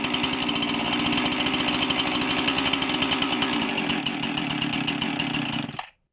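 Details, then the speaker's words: Husqvarna 346XP chainsaw: it screams high with a ragged, uneven note, then dies abruptly. Air leak at the cylinder base gasket caused by loose cylinder screws; the gasket is to be replaced. "Alright, so we have an air leak. Cylinder base gasket is leaking because the cylinder screws came loose."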